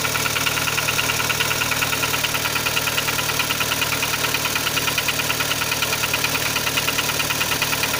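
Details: Kia Sportage 3 at idle: sharp even tick two to three per second; engine knock, louder cold and quieter warm, present at low road speeds, gone at 60-90 km/h, returns on re-acceleration; source unknown.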